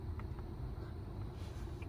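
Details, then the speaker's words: 2012 Ford Mustang after blend door actuator replacement, tested by switching climate settings: only a steady low engine and blower hum, no popping or clicking; normal blend door actuator operation, repair fixed the issue. "give it a few seconds i haven't heard anything switch about and nothing it's perfect all right great so that fixed our issue"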